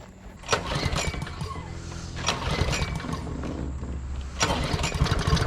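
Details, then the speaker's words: Free roadside John Deere JS40 mower's small single-cylinder engine on first start after refitting the carb, with fuel fed directly: it catches and settles into a steady, even putter with no misses or knocks; it runs. "yeah so the John Deere's a runner the js40 picked off the side of the road"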